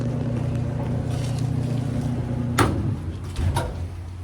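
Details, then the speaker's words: Whirlpool dryer before heating element replacement (element found bad, thermostats and high limits tested good): steady low motor hum with smooth drum rumble and soft tumbling thumps, normal operation. "conservator it's just a whirl pool ni she's sounding good see if we get any"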